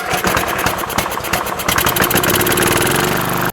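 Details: Riding mower single-cylinder engine that wouldn't start, after fuel solenoid repair and letting spilled gas air dry: catches with a few uneven pops, then settles into a steady, even chug before shutting off; runs fine.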